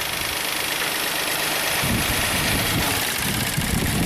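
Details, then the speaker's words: 2016 Hyundai Santa Fe V6 GDI, 125,000 miles, P0018 timing code: manually grounding the bank 2 intake cam solenoid makes the idle lumpy and uneven, stumbling irregularly until the engine almost stalls; forced cam timing change drags it toward stall. "It almost stalls out and off."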